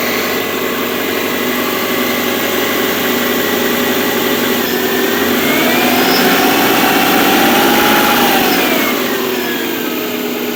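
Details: Subaru at 82,000 miles on a cold start at 57°F: a fast, fairly even light rattle about four per second that rises slightly with revs and quiets when warm; it is louder in colder weather. Suspected piston slap, unconfirmed.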